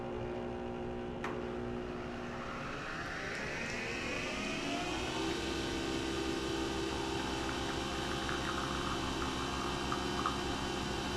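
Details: Nespresso Vertuoline after its spindle bearing was replaced: the motor winds up over about five seconds into a smooth, steady whir with no grinding or rumble. Normal brewing spin.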